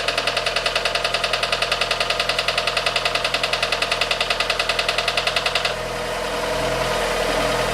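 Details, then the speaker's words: Fiat 500 after cambelt and water pump replacement, heard through a mechanic's stethoscope at idle: sharp, even metallic ticking about three to four per second, like knife and fork, loudest at the water pump end; duller mechanical sound further down. Cause suspected, not confirmed. "it was basically like someone hitting a knife and fork together very metallic ting ting ting ting whereas down here it was more of a sort of a dull mechanical sound"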